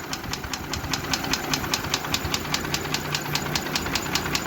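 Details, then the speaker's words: Mercedes G-Class with M104 3.2 petrol engine, 220 hp: rough idle with a sharp regular knock about 2.5 per second and whole-engine shaking; misfire from low compression, burnt piston in cylinder 1, melted catalytic converter. "что я забыл сказать что забыл сказать вот он трясется весь"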